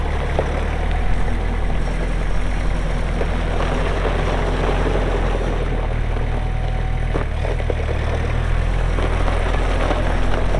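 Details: Kubota M6800 tractor (2004), pre-emissions diesel, 1,181 hours, 4WD with LA1002 loader and 8-speed mechanical shuttle: deep, even rumble staying steady throughout, no knocks, misses or rattles; healthy normal running.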